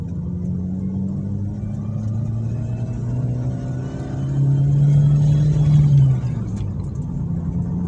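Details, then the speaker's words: Suzuki Swift after repair of a klotok knocking traced to worn camshaft (noken as) play, shaft machined instead of replaced: smooth steady hum climbing evenly with revs, no knock or tick; noise gone, normal revving. "aman ya oke fix suaranya hilang ya berarti aman untuk kendala tersebut berasal dari noken as"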